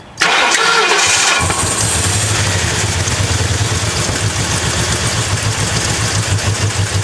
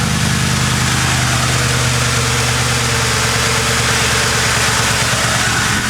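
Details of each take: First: Crown Victoria drift build V8 that had sat unused: crank then unsteady, lumpy idle with a wavering beat; owner says it later ran okay with Seafoam. Rough running, cause not confirmed. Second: Ford Crown Victoria drift build idling after Seafoam was added with a tank of gas: even, settled V8 idle with a steady low rumble and no shake or skipping, smoother than before; whether Seafoam helped is uncertain.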